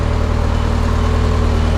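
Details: Barn-find Mazda Miata, just started after priming: steady, even low idle with a smooth unbroken rumble and no knocks or stumbles; engine idling healthy.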